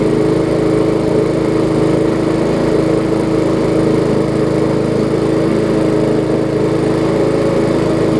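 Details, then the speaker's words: Briggs & Stratton Classic push mower engine started after a little carb cleaner: smooth, steady single-cylinder buzz with no surging or misses, running great; slight vibration. "things started right up and running great again"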